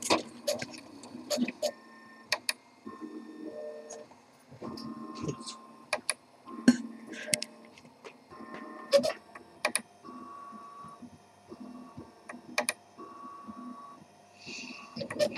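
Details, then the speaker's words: Makergear Prusa RepRap 3D printer with large-tooth (likely GT5/T5) belt: stepper motors sing in shifting tones while sharp irregular clicks snap as belt notches hit; owner considering swapping to GT2 belts: belt tooth clicking. "Yeah, those clicking sounds. That's from the the notches on the belt actually hitting."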